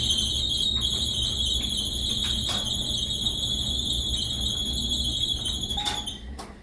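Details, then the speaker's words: Whirlpool dryer, circa 2018, running: constant shrill high-pitched squeal over the low rumble of the turning drum; suspected worn dryer belt needing replacement, not confirmed. "So, you hear the squeaking. Okay, that is indicative typically that's indicative of a belt that needs to be replaced. So, your dryer belt needs to be replaced."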